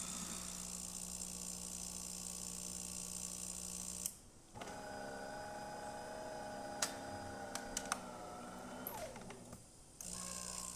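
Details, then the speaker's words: DeLonghi Magnifica XS after service for brew unit jamming (broken mechanic valve replaced); rinse cycle after switching off once cooled, purging old coffee: steady pump hum, short pause, then water gurgling with light clicks, normal. "And it's just purging that old coffee out. And it's back to normal."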